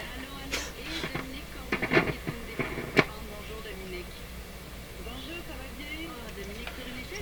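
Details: Nordmende Norma Luxus tube radio with noisy tube sockets: program breaks up with sharp irregular crackles and pops from poor tube socket contacts that resist correction; socket not yet cleaned.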